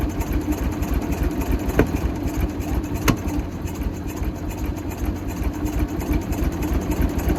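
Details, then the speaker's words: Michigan 35A wheel loader, Continental six-cylinder gas engine, sat for years: an uneven, stumbling idle with sharp knocks. Of the back three cylinders checked, only one has good compression and two are weak; stuck valves are suspected, not confirmed. "can get the plugs out on and only one seemed to really have good compression the other two were pretty weak so she's got some issues I think"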